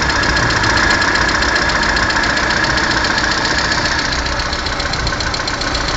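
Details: Lada Kalina 1.4 16-valve engine at idle: sharp, regular metallic knocking at about 220 per minute, steady over the idle; internal engine knock, cause not yet pinned down.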